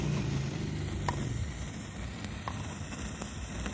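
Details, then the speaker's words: Ashley ACT500Pro active speaker with master, treble and low turned down: irregular rain-like crackle and sizzle over low hum, reacting to touch near the high-frequency preamp/main input; suspected preamp IC, capacitor or drifting resistor. "Suara hujan ya. Krosok kayak gitu. Kita cek di sini. Disentuh pakai tangan, di sini berbunyi nih. Mungkin ini preamp-nya, preamp untuk high-nya ataupun input utama di sini."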